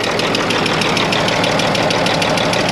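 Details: Older Kenworth diesel, broken down and smoking, cutout test planned: sharp, even ticking about six times a second over a steady idle; rhythmic top-end or injector tick, cause not yet found.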